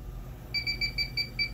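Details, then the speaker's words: Electronic leak detector on the evaporator coil of reach-in cooler no. 4: rapid high chirps, about five per second, start at the bottom of the coil; a confirmed refrigerant leak, so the evaporator coil needs replacing. "All right, we have a definite leak somewhere right here. Definitely not a false alert here. It's definitely a leak."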